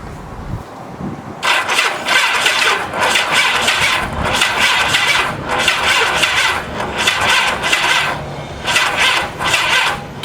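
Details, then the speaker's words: 1985 Honda Gold Wing 1200cc motorcycle after sitting about 5 years, dead battery: starter turns the engine sluggishly in uneven, dragging surges with no firing; owner also suspects starter. Slow cranking from weak battery. "batteries dragging hmm"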